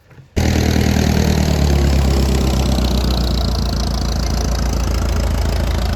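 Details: International Harvester 806 diesel tractor, first fire-up after rebuild with fresh fuel and coolant: catches straight away and settles into a deep, even chug with steady low rumble and no knocks; engine running fine.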